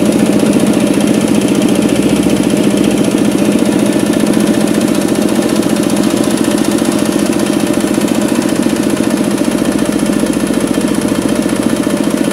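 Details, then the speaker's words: Kubota RD65DIS diesel driving a soil/clay grinder under load, after cylinder head refit with timing checked and exhaust fitted: exhaust smoke gone and combustion good, but an even rough clatter about three times a second remains from worn engine gears. "Namun, masih terdengar sedikit suara kasar. Hal itu memang disebabkan oleh roda gigi mesin diesel yang aus atau sudah tajam."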